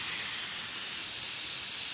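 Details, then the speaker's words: Air hose end fitting on a pressurized compressor line: steady loud high-pitched hiss of air escaping at the threads where the Teflon tape is flapping; leaking air hose fitting, to be fixed by redoing the fitting. "So as you can hear, there's a lot of air coming out, and you see the Teflon tape?"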